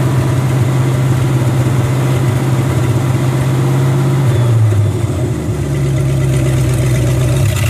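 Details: International Scout V8 with a new carburetor, warm: a loud idle with a lumpy, uneven beat and a sag, missing and running rough after running fine minutes earlier. Owner suspects the ignition.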